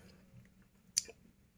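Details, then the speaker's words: Polytron two-door semi-inverter refrigerator with lamp on but not cooling: faint hum then one sharp click as the overload protector cuts power; compressor seized and won't turn even with another power cable. "baik kerusakannya di sini teman-teman ya overload memutus arus ya overload memutus arus teman-teman ya"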